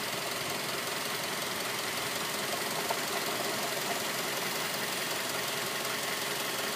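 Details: 2006 Mazda 3 at idle: fast, fairly even light tapping over the engine note; internal engine knock of unknown origin.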